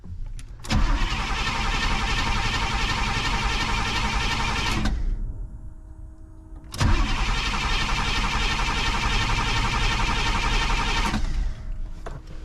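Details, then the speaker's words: 1985 Pontiac Trans Am that sat a year with a burned ignition power wire: two long cranking bursts that never catch. Check engine light on, no key-on fuel pump prime; the pump only runs off the oil pressure switch. "turn it over check engine lights on I don't think I hear a fuel pump"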